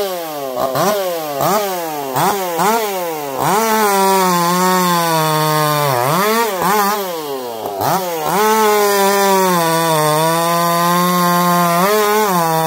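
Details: Echo CS-4910 chainsaw with taper-top piston/crank swap, plastic handle, test cuts: revs and bogs into cuts, then clean steady high scream through long cuts; owner feels zero vibration; runs a little warm, about 180 psi cold, 170 warm; normal running under load.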